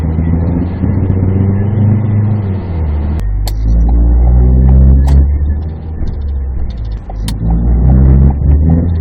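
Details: 2016 Ford Focus with DPS6 dual-clutch transmission: deep rumbling drone with rough pulsing and grinding shudder plus strong vibration when accelerating, from the gearbox side.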